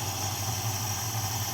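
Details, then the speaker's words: 1969 Dodge Dart GT after the carburetor was dialed in, with a choke pull-off issue still pending: a steady, even low-rumble idle with only a slight stumble and no more smoking. Normal idle. "I mean, other than a little bit of stumble, which I don't really care about, it [Music] works."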